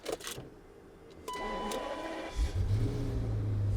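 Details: E38 Alpina B12 6.0, chassis 24, V12 based on BMW M73, bought cheap in poor condition; start needs no turning and holding of the key. A chime, a brief crank, then it fires promptly into a smooth, deep, steady idle. Normal start.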